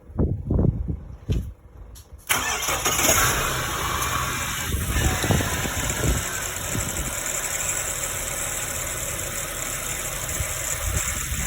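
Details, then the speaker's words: Ford Falcon first start after DIY replacement of the harmonic balancer and crankshaft oil seal: a few clatters, then a clean catch into a steady, even idle with no knocks or squeal; the balancer seems okay, and the radiator may have been knocked during the work. "Oh, so far so good. I'm a bit worried about the radiator."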